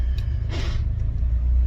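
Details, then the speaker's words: 1991 Honda Civic hatch with a swapped B16A engine idling while warming to operating temperature; steady low even idle rumble with no knocks or misses; normal warm-up idle. "All right, she's running, she idles really well. We're just waiting for it to come up to operating temperature."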